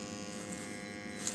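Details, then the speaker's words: Leak detection with tracer gas: the detector bell is pressed to the ground and its small pump starts, sucking air from the soil; a steady, even high buzz with no surging or rattles. Normal pump running. "Une petite pompe qui se met en route. Et puis ça vient aspirer l'air du sol."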